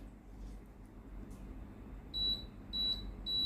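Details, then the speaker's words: Tefal blender model BL967B66/870, previously unresponsive to the buttons and sometimes showing L6. With a resistor substituted for the NTC sensor, three clear short high beeps sound as menu presses now register normally. "สามารถกดเลื่อนเมนูได้เลยนะครับก่อนหน้านี้ไม่สามารถกดเลือกเมนูได้นะครับ"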